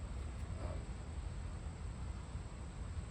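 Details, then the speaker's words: Mack CX613 left-side wheel hub, replaced before failure after vibration and temperature rise: low, gritty rumble as the hub is spun by hand. The dry roller is running on a pitted race, so the bearing is audible when it should be silent. "You should never be able to hear bearings, because what you hear is a dry roller running on a race. It's pitted also."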